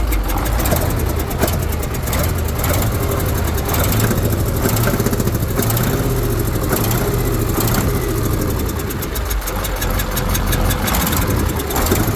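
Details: KAMAZ diesel truck at idle; heavy regular knock each engine turn; mechanical engine knock, cause unknown.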